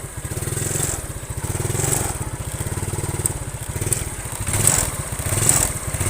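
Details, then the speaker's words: Yamaha Mio scooter before carburetor repair: hesitates (berebet) on first throttle, uses excess fuel and lacks power. Small single revs unevenly with a lumpy pulse on throttle blips, stumbling off idle; carburetor fault. "Jadi kendalanya itu berbed ya saat gas pertama. Jadi bensinnya juga boros dan nggak bertenaga ya."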